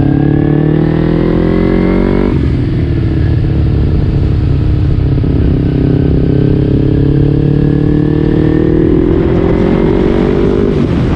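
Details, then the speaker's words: Kawasaki Ninja 250R (2008–2012) after a clutch replacement: the small twin revs cleanly, the pitch dips at a quick gearchange, then climbs steadily. Normal running with smooth shifts. "all right so everything's working now fully functioning bike is 100 new clutch new everything all right all right she's running great smooth shifts all across the board"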